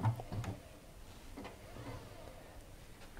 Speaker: you can hear that it's virtually silent so that would be the first indicator of worn bearings